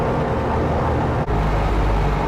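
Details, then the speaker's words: Viking 130 liquid-cooled aircraft engine with propeller, warming up during coolant system burping, gearbox 83: steady even propeller drone at about 1430 rpm idle, no misses or knocks; smooth healthy idle. "it's a nice Idol will be this airplane that's about 13 uh the 1430 RPM there"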